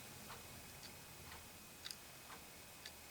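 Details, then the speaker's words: Clock repaired after faulty PCB contact was rebuilt with solder, running: light, crisp ticks about once a second, another wall clock ticking in between; normal operation. "all right let's get this one put together the rest of the way and make sure we can hear it ticking when i get it all together i'm thinking you could hear it ticking a little bit over there"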